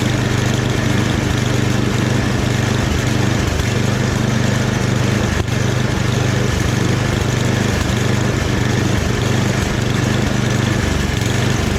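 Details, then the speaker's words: Free, rebuilt snowblower running at medium throttle: a steady, even small-engine drone with no misses, surging or knocks. Normal running. "Yeah, I'm gonna call that a success, you guys."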